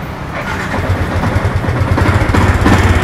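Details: Yamaha MX King 150cc running with uneven, coarse knocking chatter about three beats a second; rough engine noise, mechanic suspects the upper cylinder head area, not confirmed before teardown.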